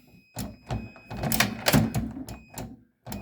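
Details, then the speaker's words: Frigidaire microwave door jiggled, with irregular plastic clicks and knocks and a faint high tone; loose door interlock switches open on slight movement, so the microwave trips the breaker. "the problem is is this switches they're not really tight in there in the door any movement"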